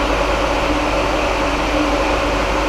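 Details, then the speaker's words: Turbo kei camper van's under-floor outdoor air-conditioner unit on its highest setting, heard from nearby with a truck engine running: loud steady rushing fan noise with faint constant hum; normal but clearly audible operation. "Ngay cả ở cài đặt cao nhất, dàn nóng vẫn rất ồn. Đây là cài đặt cao nhất. Dàn nóng nằm dưới gầm xe."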